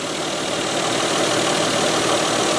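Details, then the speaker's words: Mazda 626 idling after replacing bad idler pulley, other pulley and both drive belts: smooth, steady idle hum with no squeal, chirp or knocking; engine running much quieter and smoother, healthy. "yep there you have it guys engine is running beautifully"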